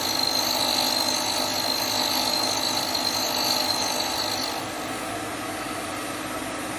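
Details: Hope Woodturning MK2 thread-cutting jig on a router at about 3000 rpm, male thread in beech, 4th-click pass: high steady whine near full speed, even cutting hiss easing as the pass ends; normal cut.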